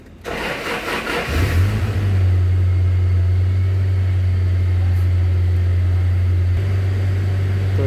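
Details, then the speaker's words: 2011 Toyota Hilux after repairing the faulty ECM that caused crank no start: starter whirr, diesel catches within a second and settles into a steady, even idle; normal start and idle. "जो फाल था वो computer में था इसी ए में तो अल्हम्दुलिल्लाह हमारी गाड़ी अब स्टार्ट है"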